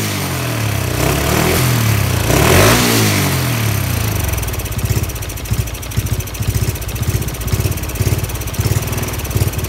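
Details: Honda Wave 110i converted from modified engine back to stock parts (crankshaft, piston, cylinder head, valves, exhaust, camshaft/cam chain, injector): after starting it settles into a lumpy uneven idle that never steadies, cause not evident.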